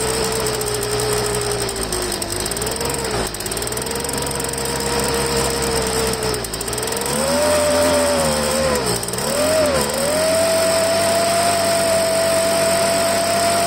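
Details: Poulan handheld blower two-stroke after fuel line replacement; pitch hunts, dipping and surging, from dirt in the carburetor, probably entered via the broken primer bulb; owner cycled the choke on and off to clear it.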